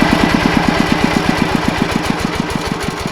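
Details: Yanmar 105 diesel walk-behind tractor engine driving a water pump for sugarcane planting: steady diesel chug with sharp regular knocks about four per second riding over it. Engine knock under load.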